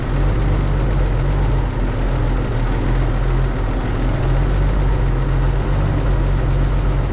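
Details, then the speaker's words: 1931 Oldsmobile F31 barn find, first start after clearing a cork chunk, likely from the homemade fuel-bowl gasket, from the fuel-pump valve; steady, even low rumble with no misses or knocks. Normal idle. "well guys I think that's a success here um this thing was a little bit of a challenge but uh we got it figured out"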